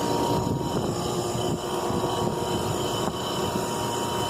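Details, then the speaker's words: Carrier heat pump outdoor unit frozen solid with very thick ice, heavy condensation: steady droning hum with fixed whining tones over fan rush; compressor loud, labouring and very hot, cause unconfirmed. "Listen to that compressor sound. That's really hot too."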